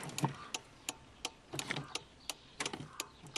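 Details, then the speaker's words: ZAZ-1103 Slavuta, ignition and turn signal on, heard in the cabin behind the left dash vent at the four-relay block: dry, sharp, slightly uneven clicks about three a second, the 495.3747 turn-signal relay cycling. "Для того, чтобы узнать, какое реле отвечает за поворот, необходимо просто включить поворот и с помощью пальцев попробовать, какой из них щелкает?"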